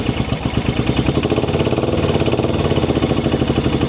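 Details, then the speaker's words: Suzuki motorcycle brought home in sketchy condition and run on a bottle after the fuel inlet line was replaced, before choking: lumpy single-beat thumping with uneven pulses, running on one cylinder; fuel pump not heard running, fuel delivery suspected. "So, we're gonna let it rip. And that's going, but that's one cylinder."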